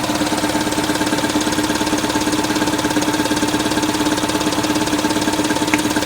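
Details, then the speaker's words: 1979 210 (4-cylinder, carbureted) after choke fix, idling: lumpy, uneven idle about two pulses a second; apparently running on only 2 cylinders (1 and 4), with 2 and 3 dead all the time; compression test planned. "See? It's only running on 2, looks like. It's got 2 that are dead all the time then."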